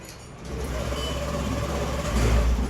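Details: Honda Dio scooter with no error code and intact wiring whose self-starter would not work; after replacing the failed blue starter relay it catches on the self-start and settles into an even low drone, then builds smoothly when revved.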